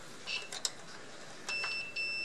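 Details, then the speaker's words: Oil-filled electric radiator not heating: continuity tester on the tip-over switch gives sharp beeps that start and stop cleanly as the cam lobe opens and closes the contacts between vertical and tilted; switch works fine. "but it's good and as I move the cam loob it should stop beeping so that's vertical that's okay"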